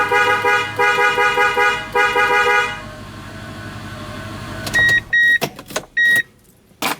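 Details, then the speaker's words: 2001 Toyota Tundra after a new clock spring was fitted: a strong, full horn tone in a string of short blasts, then brief chirps; the horn works normally again and the airbag light is off. "so I can hear the horn is working now the light are the the airbag light on a dash is off"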